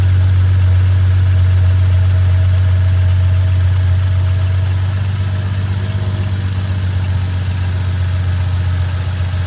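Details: BMW F30 engine at about 100k miles, just after DIY oil change: smooth even low hum at steady idle, no ticks, knocks or misfires; normal healthy idle.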